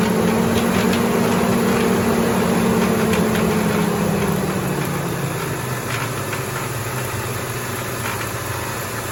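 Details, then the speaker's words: Mitsubishi Montero, 190,000 miles, unrun for 1.5 years (bad gas suspected; a shop claimed a snapped timing belt): after revving, the idle sags to a low, uneven thrum with stumbles. It is running rough but drivable, cause unclear. "straight up idling I mean it's not good something is definitely pissed but I mean it's like drivable right now"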